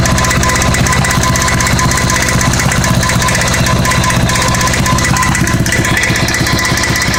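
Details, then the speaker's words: Honda Goldwing GL1100 flat-four idling during plug-wire pull tests: fast, uneven metallic rattle over the firing beat that went away then returned; source not yet pinned down. "That went away for a while, then come back. That rattle."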